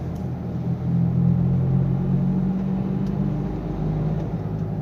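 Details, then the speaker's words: Nissan Sunny on the road: a low droning hum under road rumble grows louder as speed rises, also present in neutral while the engine itself sounds normal; humming sound. "तो इसमें humming sound आ रही है तो मैं आपको try करवाता हूं तो आप ध्यान से सुनिए जैसे स्पीड बढ़ेगी तो हमिंग साउंड आएगी"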